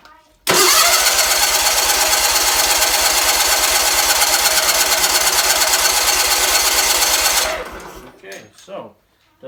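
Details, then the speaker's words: Red Roper with a BFM twin-cylinder engine, cranked steadily for about seven seconds after new fuel filter and fuel line work. It never catches. The owner suspects too little fuel reaching the carburetor, possibly from a weak fuel pump. "want to pick up fuel I mean I got it in the filter but probably not enough in the carburetor it may still have somewhat of a weak fuel pump"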